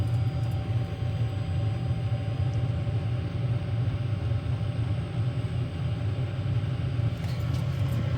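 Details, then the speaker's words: Diesel parking heater about 3 minutes after start, drawing about 5 amps, hot air coming out, glow plug and pump icons on: steady low rumble with even combustion roar, no surging or popping; ramping up normally. "so it's been on for about 3 minutes here it's really starting to ramp up now we got hot air coming out"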